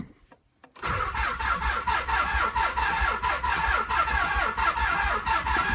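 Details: 1995 Nissan 300ZX, cranked via multiple jumper cable sets: steady rhythmic cranking about ninety beats a minute, even compression pulses, never fires: crank no start.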